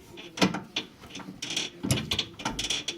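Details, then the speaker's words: 2004 Ford Mustang rack and pinion moving when the steering wheel is turned; irregular dry creaks and clunks with each turn from worn rack mounting bushings; fix is replacing the bushings. "that's the same noise it makes when you turn the steering wheel that's what that creaky noise is coming from and it's the bushings in here that are bad"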